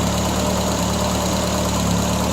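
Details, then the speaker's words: 1975 Triumph Spitfire after smog removal and ballast resistor wiring fix, plenty of hot spark: steady, even low idle with firm rhythmic beat, no stumbling; timing still out, not yet set with timing light. Normal idle. "plenty of spark nice hot spark she fires right up and purs like a kitten"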